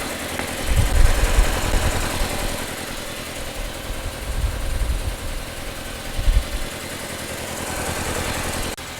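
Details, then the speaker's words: 2004 Audi A4 B6 after three years sitting, started on a jump pack with fuel of unknown age: low uneven idle surging and sagging every couple of seconds; running but rough, old fuel suspected of not helping. "that sounds a lot better oh it start s it's alive give it doesn't sound good but it's running"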